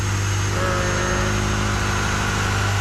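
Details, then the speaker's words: Ferrari 355 V8 after repairs, with the misfire and an exhaust leak or rattle cured. Smooth, even idle with a steady low hum and no stumble: normal idle. "It's quiet. No more misfire. No more misfire, no more like exhaust leak or rattle or whatever it was. That's smooth. Very smooth."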